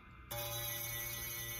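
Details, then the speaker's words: Les Paul bass, A string fretted at 13th fret: plucked note rings with faint thin fizz, back buzz between fretted note and nut from low nut slot; lessened by paper shim, nut fill planned. "I think the nut fill would fix it because I can see it's lessened with that little tiny scrap of paper"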